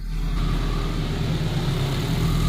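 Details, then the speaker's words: Race Honda Civic, K24 turbo, 600 hp, on test drive after manual gearbox rebuild with new bearings: steady engine pull with no whine or growl; the previous gearbox noise is gone. "Yeah, it's just brand new. Yeah, everything is new. Just in the gearbox. And I can already clearly hear the difference from those new bearings, bro."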